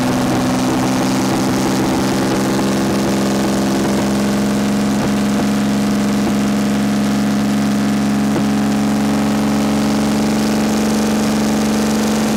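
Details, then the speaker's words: 1979 BMW 5 Series barn find, first start after 30 years with the exhaust disconnected: a steady high-pitched drone that never settles to idle, with smoke; owner unsure whether it is idling or revving. "sounds like it's revving really high damn woo we have some smoke"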